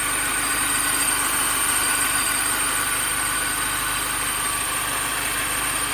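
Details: 2005 Mini Cooper S at idle: steady idle with a thin high whine and faint chirp rhythm from the belt-driven accessories; owner suspects the idler pulley, not confirmed.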